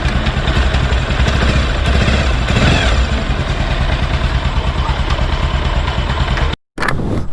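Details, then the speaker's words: 220 motorcycle just started after a new cylinder kit and fresh oil: deep, steady, even idle with no top-end ticking or rattle; the engine runs quietly and healthily. "വണ്ടി ഇപ്പം just ഒന്ന് സ്റ്റാർട്ടാക്കാൻ പോവുകയാണ് കേട്ടോ. സ്റ്റാർട്ടാകട്ടോ. ഓക്കെയാണ്, സൈലൻ്റാണ്, പൊളിച്ച്."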